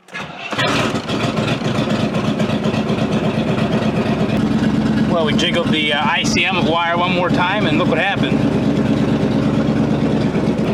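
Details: Square-body 3/4-ton 4WD Suburban V8 after fitting a remanufactured ECM: it cranks briefly, catches and settles into a steady, even idle with no misses or knocks.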